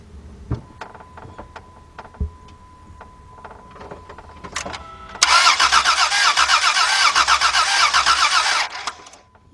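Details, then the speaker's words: 2003 Dodge Grand Caravan 3.3 on a borrowed battery: quick, even cranking at about four beats a second that never fires. It cranks but won't start, though the cause is not confirmed. "it did light up yeah it was did you listen to how it sounded no compression it didn't sound like it had any compression"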